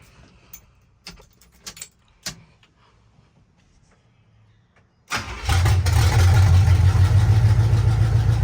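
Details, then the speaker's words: 1976 Chevy C10 small-block 350 V8, just converted from 2-barrel to 4-barrel carburetor and intake, first startup with choke cable not yet wired: cranks and catches into a loud, lumpy, uneven idle; rough running from too much choke. "okay well it runs so sounds like we don't have we have too much choke"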